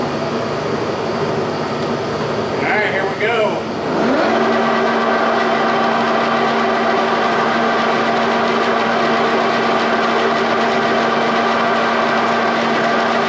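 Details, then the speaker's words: G&L facing and boring attachment on a 340T after the runout fix, spindle pry-tested at under half a thou: the spindle winds up, then settles into a steady, even hum with no knock or rumble; it sounds like healthy running. "Let's just fire it up and see how true it's running now."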